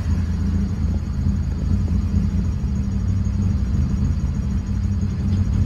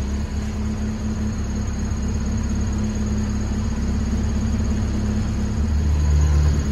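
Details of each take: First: Honda Civic petrol engine idling with a deep, slow rumble, nearly stalling; PCV valve was removed, and the idle screw on the throttle body is opened toward 800–1000 rpm because idle is too low. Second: Honda Civic, warm, after removing the PCV valve and adjusting the throttle body idle screw: smooth even idle, steady at 1000 rpm with the sensor plugged in, no surging; the cooling fan whirs on near the end.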